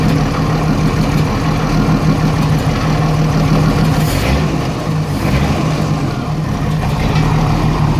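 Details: 1987 Jeep Cherokee Renix 4.0 rough idle: loud, uneven, loping idle with a steady miss on one cylinder. Later traced to a sticking exhaust valve or bad lifter on cylinder 6; loosening that rocker smoothed it.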